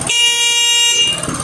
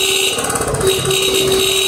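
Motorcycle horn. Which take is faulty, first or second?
second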